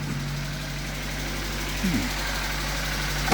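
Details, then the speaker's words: Car at idle after new ignition coil fitted and bad connector found: runs better but a light quick tapping rides over the note, owner attributes it to a bent valve; valve train tapping. "Well, and then it sounds rough because of that bent valve cuz you need that tap tap tap tap. But that's a bent valve."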